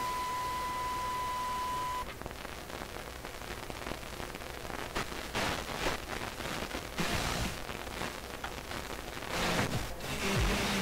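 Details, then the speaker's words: McIntosh MR71 FM receiver during alignment of T5 lower slug with a signal generator: clean test tone collapses into loud hiss and crackling static with surges; both adjustments at limit, clip lead suspected of throwing tuning off. "It's a disaster. Let's take this clip lead off here."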